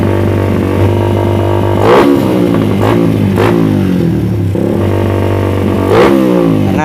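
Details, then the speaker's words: Suzuki Satria FU with PE28 carburettor, intake cam shifted about 1 mm advanced from stock, air screw set over four turns: lumpy, unsteady idle and choppy, uneven revving on throttle blips rising and falling quickly, though throttle response feels sharper. "rnyata jadi agak putus-putus gitu ya Lur jadi kalau kita gas tuh suaranya agak putus-putus gitu jadi enggak enggak manteng Tuhan Ya"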